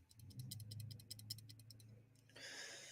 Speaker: Today we're gonna fix this knife. Hear that? It's got a rattle.